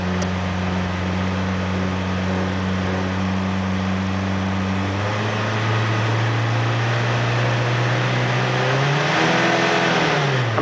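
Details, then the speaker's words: Ford Pinto engine, automatic, unleaded cylinder head of unknown origin: deep throbbing drone rising with revs, heavy vibration from about 2,600 rpm that broke flex plate; cause found to be loose alternator bracket. "what's causing that engine to vibrate like that any ideas"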